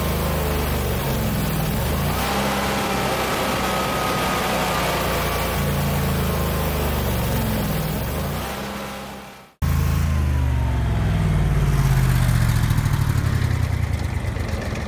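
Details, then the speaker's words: Generac 22kW gas generator on a simulated power failure with the water heater as load. The steady drone dips out briefly, then returns with a wavering pitch as the overload drags it under speed, latching error 1600 underspeed and cutting power to the house. "error code 1600 there's no electricity in the house do you know what happened yep well i don't know what why it happened but it's it latched a 1600 code and it's saying under speed"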